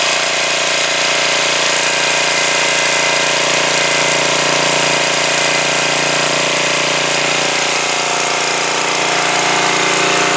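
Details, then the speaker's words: 2002 Coleman Powermate 5500 generator after carburetor cleaning and motor mount repair. It started easily and runs at full run with a steady, even buzz and no misses, surging or knocks. Normal running. "yeah that started very easily I had it on immediately put it to full run and it ran great so that's pretty nice"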